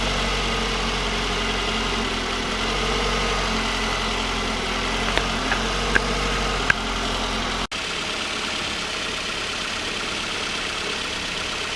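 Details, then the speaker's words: 2004 Toyota Camry 2AZ-FE after engine swap (previous engine overheated, head gasket failure mixing coolant into oil): steady, even, smooth idle with no knocks or ticks while the cooling system bleeds air; normal idle. "Sounds good. Sound like I'm brand new."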